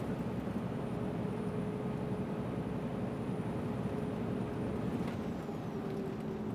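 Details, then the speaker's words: Scania R400 Streamline truck, Scania-remanufactured turbo fitted at 600-some thousand, heard from the cab; steady cab drone with a thin, high, constant dentist-drill-like whistle holding under load; turbocharger whine. "Isso entra no ouvido, parece que você está sentado na cadeira do dentista e ele está com aquela maquininha ligada no seu dente ali, aquilo vai entrando no seu ouvido e você vai ficando gasturando, vai ficando nervoso e irritado."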